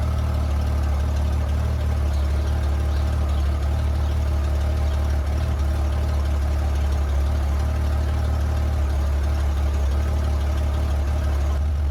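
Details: 1994 Honda GL1500 Goldwing Aspencade flat-six, first start in two and a half years after aftermarket fuel pump replacement, around 1250 rpm: deep, steady low rumble at fast idle, no knocks or misfires; running smoothly on new pump.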